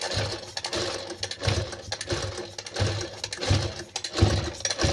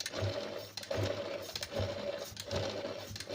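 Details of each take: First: Sewing machine run at speed, quiet when slow: uneven clattering knocks about one and a half per second as the needle strikes the shuttle and the mechanism runs dry. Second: Sewing machine after oiling faceplate, rear and underside: soft, even stitching rhythm a little over one cycle per second, no clatter; previously very noisy only from lack of oil, now runs smoothly.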